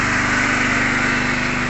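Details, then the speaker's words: Small single-cylinder engine running on gas (LPG via a reducer) with a steady, even buzz, no misses or knocks; runs smoothly and healthily. "бачите все чудово Все гарно працює"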